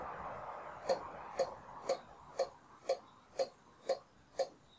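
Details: KTM 990 Duke, bike stripped, engine off, diagnostic actuation test of injector one: crisp even clicks about twice a second; injector fires cleanly and responds normally.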